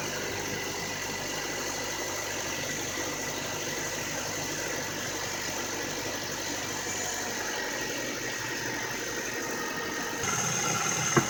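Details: 2009 Nissan Altima 2.5 after power steering pressure hose replacement, system overfilled and being bled: quiet steady idle hum with no whine or groan from steering pump; no leaks, system sounds normal.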